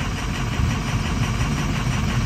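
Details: Ford 6.0 Powerstroke diesel at idle during an injector cutout test: deep idle with a lumpy throb; disabling injector 5 makes no change, so injector 5 is dead and needs replacing.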